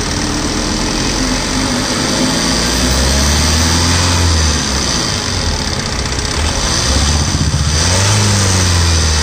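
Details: Tata Safari LX: a rough, loud engine run with a couple of revs rising and falling and an added noise over the engine; nothing pins down a cause.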